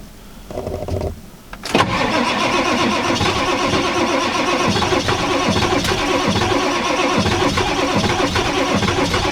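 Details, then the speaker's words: 1995 Ford F-350 7.3L Powerstroke turbo diesel, icy cold, sat since November, not plugged in: brief whir then steady even cranking that never fires; smells of burning diesel; owner suspects glow plugs and needs plugging in. Cause suspected, not confirmed. "Told you guys she won't start. She never will. Something's wrong."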